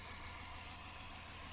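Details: Lexus IS 250 at idle with a faint uneven stumble from a cylinder six misfire and an ignition coil primary/secondary circuit code. Plug, coil and wire swaps didn't help; ECU coil trigger signal measured weak (max 740 mV). Replacing the ECU fixed it.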